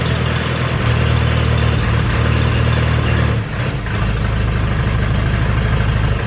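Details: Ferguson 20 petrol/TVO four-cylinder tractor, sat 10–15 years, after carburetor cleaned: settles into steady low idle after a brief dip in speed, running evenly without knocks or misses.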